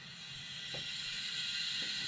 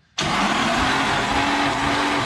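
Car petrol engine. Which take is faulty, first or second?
first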